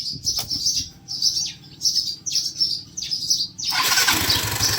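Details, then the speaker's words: Yamaha Mio 125i scooter that started and stalled intermittently: short crank bursts, then catches and settles into a steady run; starts cleanly, faulty injector was the cause. "ติดแล้วนะครับเดี๋ยวล่อสักครู่นะก็ติดแล้วนะครับ"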